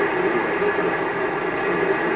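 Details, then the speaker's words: AM band on a lively receiver, band B, weakly receiving a station with very little background noise; quiet even hiss and faint steady tone. Normal AM reception. "it's receiving slightly receiving a station but you can hear how much no background noise the set has"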